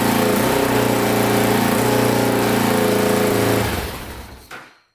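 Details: 2000 Can-Am DS650 quad, top end rebuilt, first runs, pipes still smoking off: single thumps at fast even idle, no top-end clatter, then cuts off; idle too high, cause unknown.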